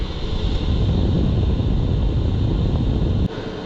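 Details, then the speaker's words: Lavaner Alpine Pro diesel parking heater in a skoolie, fan set to highest, pump clicking: steady deep roaring rumble with soft pulsing underneath; heater running normally. "And it's really gearing up in here. I think I have the fan set at the highest."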